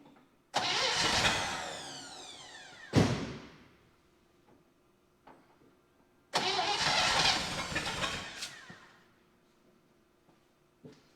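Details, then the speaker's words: 1960 Chevy Brookwood wagon, sat 20+ years, rebuilt carb and new points, float bowl hand-filled: two brief starts flare up then sag and die, never idling; owner suspects manual choke starving it of fuel, fuel pump not pumping. "I bet a lot of it is the choke is manual and I'm just starving it once it starts because I don't have a thing for it for"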